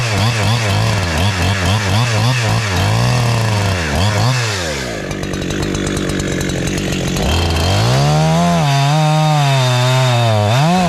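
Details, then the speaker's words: Husqvarna 372-type chainsaw clone freshly tuned in the wood, cutting an old log: revs climb high and clean, sag slightly in the cut, then four-stroke rich when unloaded; healthy, with good throttle response. "So it's high revving. It's revs a little higher, but when I come out of the cut, it is four stroking because I'm t I tuned it in the wood. So that's what I have good throttle response."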